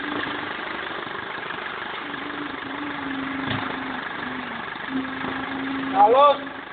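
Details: BMW E46 320D 150hp diesel, first start after an engine overhaul following swirl flap failure: steady, even idle with a constant low hum and no knocks, misses or hunting; smooth normal idle.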